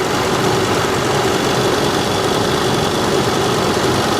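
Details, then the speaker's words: 2010 supercharged 510 hp Range Rover V8 idling with cooling fan on: steady even hum under the bonnet with fan whooshing, no ticking, chain slapping or supercharger coupler knocking; engine idles smoothly. "No. Listen to how quiet she is. The cooling fan is on. That's about it."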